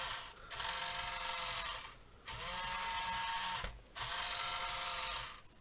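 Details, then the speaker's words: 1:28 scale RC wheel loader QY2302, cheap plastic toy motors: three steady high-pitched whirs with pauses, forward and reverse drive working though noisy; steering broken; normal drive motor operation. "you can hear from like very noisy it's obviously cheap plastic you know general toy sort of motors it's not surprising about that at all if it's what you would expect"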